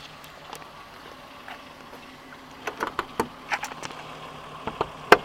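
Quiet idle with sharp, uneven ticks and rattles coming every few tenths of a second, mostly in the second half; source not pinned down.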